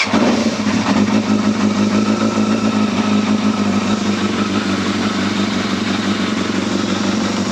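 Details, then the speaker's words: Yamaha Thundercat motorcycle, first start after full reassembly with choke on and fuel pump priming: smooth, even, quiet idle with no knocks or rattles and no leaks; engine running sweetly, normal idle. "That sounds sweet now. I can't even hear no engine noise on that. That sounds lovely. That engine is sweet as."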